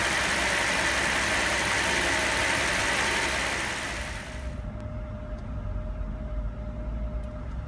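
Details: Mercedes SL600; revs fall from a fast run to idle with an uneven, lumpy beat about three per second: rough idle, cause unknown.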